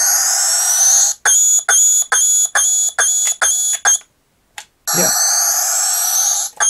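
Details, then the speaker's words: Vintage New Adventures of He-Man Powersword toy after a speaker repair. A high electronic tone pulses about twice a second with no button pressed and stops when a button is held: sound stuck on, fault in two buttons. "It's making a noise. It's still pulsing and coming on without me pressing buttons."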